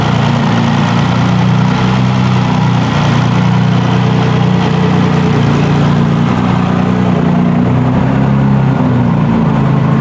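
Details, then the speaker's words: Turbo BMW E46 with M52 engine and Precision 6466 turbo, first start after long idle period: loud low drone with uneven wavering hunting idle, rough cold start; then good oil and fuel pressure. "I mean, it hasn't run in a long time. It's probably gonna run like shit for a second."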